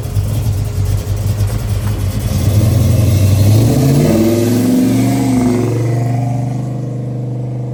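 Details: 1968 Chevrolet Chevelle, 454 big-block V8, 700R4 automatic, 3-inch stainless exhaust: deep rumble climbing smoothly through a rev, easing back to a steady, even idle; runs healthy.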